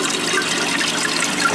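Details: Old toilet after tightening loose tank bolts with wing nuts: short burst of rushing water settling into a smooth steady fill, no hissing or trickling, water meter not spinning; normal flush and refill.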